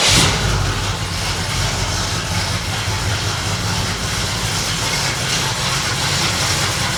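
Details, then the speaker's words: Truck after replacing a blown exhaust manifold gasket leaking both sides of one cylinder, battery charged; fires up and settles into steady even idle with no ticking; exhaust-leak noise fixed. "When I go to start it, I'm gonna come back out, fire the camera back up, so you'll be here and you'll be able to hear no ticking noise."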